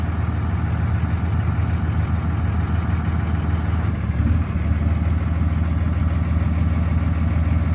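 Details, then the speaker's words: 2006 Ram 3500 3rd-gen Cummins common-rail diesel idling on EFI Live custom tune after switching off tune 3 (12-valve tune without pilot injection): deep, steady idle with soft even beat, second-gen rattle gone, sounding like a normal 3rd gen. "Instantly that rattle goes away. It sounds more like a normal 3rd gen."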